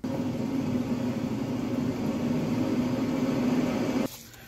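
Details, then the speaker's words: 2011 Nissan Sentra, rear raised and wheel spun: steady low droning hum stopping when wheel stops; rear wheel bearing confirmed worn, drum removed for replacement. "Bueno amigos pues ya verificamos que si es el balero que no sirve"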